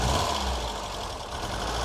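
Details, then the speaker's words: Ford Fiesta XR2i barn find off the road 14 years, cold idle just after first start, plenty of compression: sounds fairly good but lumpy with irregular dips; engine missing, cause not determined. "yeah it does sound all right but it is missing oh it is yeah"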